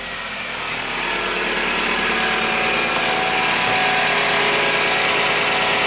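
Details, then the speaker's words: 2000 Toyota Camry engine after new timing belt, EGR solenoid, coolant hose, cam plug and oil pump gasket repairs; smooth even note swelling as revved, no tapping, slapping or whine, the earlier noise gone, running healthy. "it's a lot better [Music] ran like a kitten beautiful"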